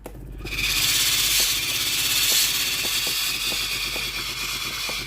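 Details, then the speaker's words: Philips PSG6064 steam iron (customer reports no steam), warmed up and tested with the steam button; rapid ticking pump pulses, about three per second, under rising steam hiss. Steam pump working normally. "ตัวนี้เทสแล้วไอน้ำออกปกตินะครับแต่ลูกค้าแจ้งว่าไอน้ำไม่ออกนะครับ"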